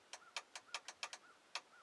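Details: 2000 Ford F250 Super Duty dome light circuit: sharp irregular clicks, about ten in two seconds, as wiggling a fuse with a loose, shorting socket makes and breaks contact. Relay chatter from intermittent fuse contact.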